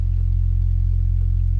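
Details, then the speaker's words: Electro-Voice 18WK 18-inch woofer, 1950s, on a sine sweep near 44 Hz at fairly loud level: deep steady tone with a faint buzzy rattle; rattle at full travel, voice-coil rub suspected. "we got the floor rattling good now there's step down to 44 you can hear a little bit of the rattle in there"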